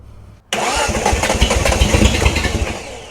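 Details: Restored Datsun Z at its first startup: the engine catches abruptly, then fires unevenly and lumpy for a few seconds without settling. The ignition timing is suspected, and it is adjusted right after; the cause is not confirmed.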